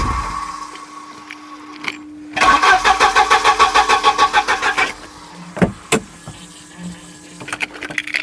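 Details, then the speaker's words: Volvo 740 sat around 20 years, given fresh fuel, rejuvenated metering head and coil refitted: starter turns the engine evenly about three beats a second for 2.5 seconds but it never catches while the fuel pump runs; cranks, no start, cause unconfirmed. "There's only a few things on these that can stop them working. They've got fuel. You can hear the pump running."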